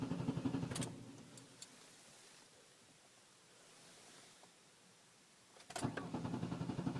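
Starter churns in short bursts with a steady chugging beat, but the engine never catches and runs; a no-start with the cause unknown.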